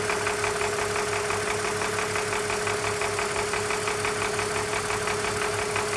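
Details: 2004 BMW Z4 with M54 six-cylinder petrol engine idling with a light, steady ticking rattle, about three ticks a second; cause unknown.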